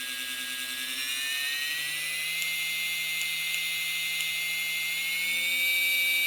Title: Motor Problem: clicking sound / very short interrupt